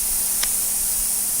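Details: A radial tire, removed from the car, during a plug repair: a continuous, high, steady hiss of air escaping through the tread puncture; an air leak from the puncture.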